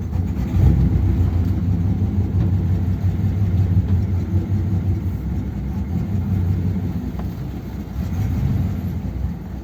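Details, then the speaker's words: 1957 Ford Thunderbird V8 while driving: rough, uneven low rumble with an irregular stumbling beat. It is definitely misfiring but still running and not pushing fuel out; cause unknown. Misfire. "it's definitely misfiring isn't it but it's actually running and it's not brushing fuel out so I don't know why it's running badly"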